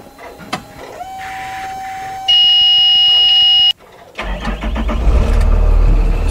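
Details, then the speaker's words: Bluebird school bus with a Cummins diesel, started to confirm its ECM is good: a warning tone, a pause, then it fires quickly and settles into an even rumbling idle. This is a healthy start. "right there as you can hear the engine is running so this engine runs okay the engine runs this ECM is good"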